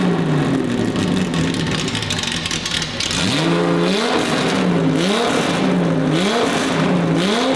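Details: Datsun 280Z freshly built L28 on carbs, on a very basic tune: a choppy, lumpy idle broken by repeated sharp revs every second or so. Fuel pressure still being set.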